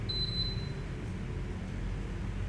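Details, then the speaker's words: Bolde Smart Fountain Expresso digital water dispenser on 220 V, water not flowing: one bright beep on selecting pumping, then only faint room hum with no motor whir; the mini water pump is seized and never runs. "Nggak dengar ada suara motor yang hidup atau water pump yang hidup nih."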